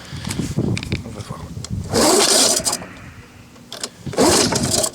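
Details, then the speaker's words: Lawn-Boy 19 two-stroke mower, half tank of older two-stroke fuel, primed five times: two slow, rough rasping cord pulls with no catch or firing. The recoil starter is binding; it was later lubricated with WD-40. "Ah, le lanceur. Qu'est-ce que tu veux que je démarre comme ça? Ouais, le lanceur."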